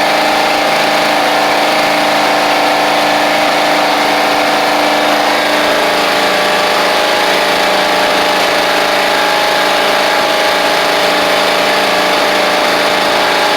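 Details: Toro Proline walk-behind mower, Kohler Command engine, sat unused April to November, first run after new carburetor and spark plug, blade missing: steady, even small-engine drone with no misses, surging or knocks, running smoothly.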